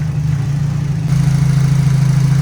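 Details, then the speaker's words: Turbo Nissan Silvia S14 race car, 144,000 km, tuned, warming up after a cold start: a steady, even low rumble that smooths out midway. Normal warm idle with no misses or knocks. "Alright, the engine's running smoother now."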